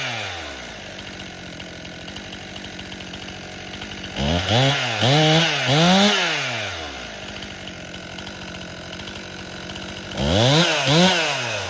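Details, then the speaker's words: Stihl MS261 M-Tronic chainsaw, hot and restarted after a 5-minute rest: it idles, then blips climb sluggishly and fall back instead of snapping up; it bogs on acceleration, running lean, and probably needs a carburetor service. "You can hear that bog. It's not a nice fast acceleration. So, it's going lean."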